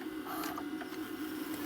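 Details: Repaired JVC DR-MV79B DVD recorder/VCR combo doing a full rewind to test auto stop, with reel sensors working: light steady mechanical whir with faint gear chatter, a normal healthy rewind.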